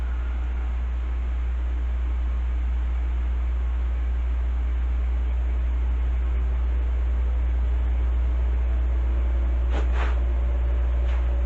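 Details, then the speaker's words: Heathkit SB-1000 amplifier powered up via variac, tube removed, fuses and switch bypassed: constant deep hum with smooth, even fan rush, no rubbing or rattle; cooling fan running normally. "Fans turning. I hate [Music] this. Everything's working good. Everything's holding up."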